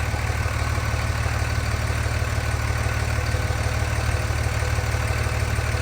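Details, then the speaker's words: Mega Cab diesel tow rig just fired up: steady idle with a fast, even tick about three per second, which the owner attributes to the leaking power steering pump, first calling it the Hydroboost then correcting himself. "got it all fired up and then uh that ticking noise is going to be our leaking power steering pump so it's actually the Hydra boost that seems to be the problem"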